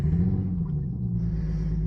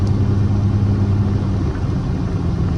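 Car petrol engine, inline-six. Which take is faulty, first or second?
first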